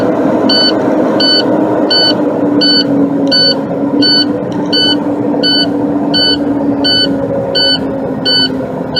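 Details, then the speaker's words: Big rig air brake system at startup after the brakes were pumped, tanks earlier near 120 psi. A high beep about 85 times a minute over a steady diesel idle: the low air pressure warning buzzer keeps sounding, which the owner says indicates a fault. "who cares going out search obviously has a fault just due to the fact that the way they're warning Buzzard still buzzing man cut that key off that's driving me a little bit insane"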